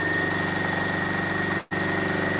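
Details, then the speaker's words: Sewing machine freshly rethreaded with mineral-oil-treated Signature thread: steady clatter with a faint regular click each stitch and a brief pause; strange click, source unclear. "you guys hear that weird click let's turn it you hear that clicking very strange"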